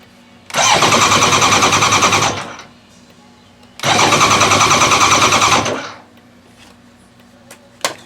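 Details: Motorcycle cranked by a LokiThor J400 jump starter, showing 10 V, with no fuel tank fitted: two bursts of brisk, even cranking, about two seconds each, at a steady fast rate; starter turns the engine over strongly.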